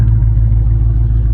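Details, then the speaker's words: Dodge Charger Scat Pack Widebody 392 V8, salvage car during rebuild: deep, steady, low rumble with an even, smooth beat and no knocks or ticks; a healthy idle. "As y'all can hear that thing roaring right now, it's nice. So it sounds good."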